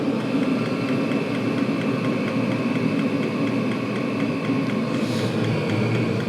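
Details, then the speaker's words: Chinese 5–7 kW 12V/24V diesel air and water heater turned down to its lowest power after 5 minutes running: temperature at 168 degrees, drawing 2 amps. Even smooth whir with a steady low hum, no pulsing or rattles; normal low-power running. "Right, I'm going to turn this down to its lowest. And let it. We'll let it run for a little bit and see if the current disappears."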